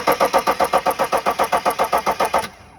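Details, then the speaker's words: 2009 BMW X5 35d, M57 3.0L twin-turbo diesel, stalled on highway after limp mode: steady cranking near four beats a second for two and a half seconds, never catches; lift pump works but zero rail pressure. "I have verified that the lift pump is working. It's getting fuel all the way up to the high pressure pump, but there's zero pressure in the rail, zero fuel going to the rail at all."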